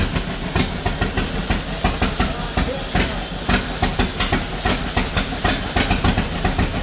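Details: 1949 John Deere B two-cylinder, first start after rebuild on used spark plugs: uneven thumping, beats bunching and stumbling, running rough; owners suspect more throttle needed or a bad plug, cause unconfirmed.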